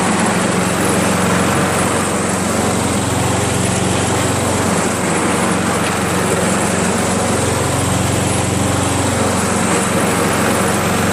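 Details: Craftsman 7HP self-propelled lawn mower, hard to start and must be primed despite valve lapping, carb cleaning and replacement: small single runs at steady speed but wavers and stumbles; cause unknown, ignition checked afterward.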